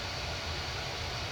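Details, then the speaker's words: Diehl 52-inch antique ceiling fan, late 1920s–early 1930s, worn shaft, filled with SAE 30 oil, running on the speed coil at a lower (medium) speed: steady airflow with constant low hum and buzz from the speed coil atop the motor. "you hear the buzz of the transformer as well or the speed coil on top of the motor"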